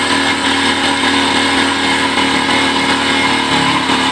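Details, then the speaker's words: Kawasaki Bajaj CT125 motorcycle carburetor being tuned on a cold engine with the air screw by ear: fast, buzzy idle holding fairly even with a slight sag; idle has weakened because the mixture is out of tune. "umina na po siya, which is wala sa tono."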